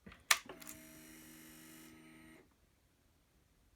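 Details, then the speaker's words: Honda CRF250L after fitting a 13.2 l (3.5 gal) aftermarket tank, battery reconnected, ignition on: click then an even electric buzz for about two seconds stopping cleanly; fuel pump priming normally, working as intended. "That sounds normal. Indicator, okay. Okay, it appears that it's working as intended"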